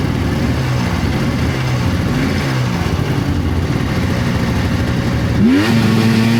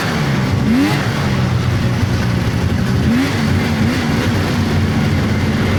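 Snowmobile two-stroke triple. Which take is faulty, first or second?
first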